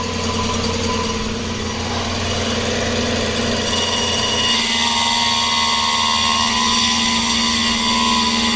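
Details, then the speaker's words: 2010 Chrysler Sebring convertible 2.7L, previously crank-no-start, after flex plate and EGR repair: engine running with steady high whine and thin mechanical rattle on top; power steering pump suspected, not confirmed. "I know what's that noise though is that oh that's a trance oh power steering you think that's a trans a power steering"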